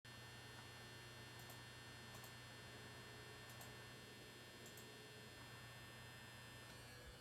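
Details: Desktop PC giving a constant loud low buzz, louder than coil whine, unaffected by reboot, returning hours after restart under light use, stopping when the case is tipped over; cause unknown.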